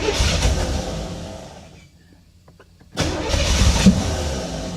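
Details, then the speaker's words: C4 Chevrolet Corvette recovered from a Florida swamp, first start attempts: engine catches and runs lumpy with uneven, stumbling beats, drops away and restarts; owner suspects timing off, cause not confirmed; rough running. "boy it just sounds like the timing is off or [Music] [Music] something come on come on come on woo she is not [Music] happy not not happy at all"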